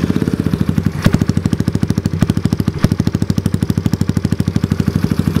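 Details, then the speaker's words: Fuel-injected Kawasaki KLX110 with new race head and Rocket exhaust, warming up on first start after install: crisp, even single-cylinder thump at idle with quick clean blips, regular pulses, no rattles; normal idle and revving, sounds really good. "it sounds sick sounds really good i'm pumped"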